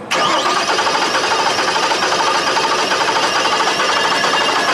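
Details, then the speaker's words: Reference cranking clip: the starter turns with a lopsided cadence, one compression stroke missing each cycle, showing a single cylinder with no compression; it is used to diagnose a misfiring Suzuki that already has new coils and plugs. "here's what it sounds like good compression okay here's what it sounds like with a single cylinder with no"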